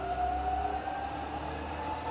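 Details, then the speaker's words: Fully rebuilt Bridgeport milling machine, variable speed head rising from about 1000 through 1300 and 1800 RPM toward 2500 with quill engaged: low smooth hum, faint tone edging up with speed, no knocking or grinding; normal quiet spindle running. "So we're firing up, we're currently about 1000 RPM. Hear how quiet that is. It's a lot of work all the time, a lot of money to make the head sound that quiet."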